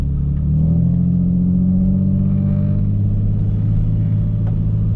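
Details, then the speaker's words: Cheap aftermarket muffler on this car, in-cabin POV at highway cruise: heavy low droning boom swelling slightly with throttle; exhaust drone, owner plans a 3-inch test-pipe-back exhaust. "let you guys know don't buy cheap mufflers yep it does not sound good at all"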